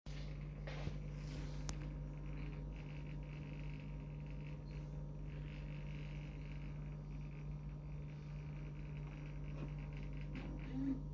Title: Strange noises coming from Vestel refrigerator..12/10/2022